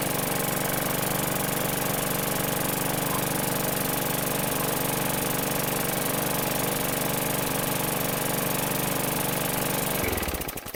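A steady, even small-engine drone with no misses or surging for ten seconds, then a clean shut-off and spin-down; it runs healthy.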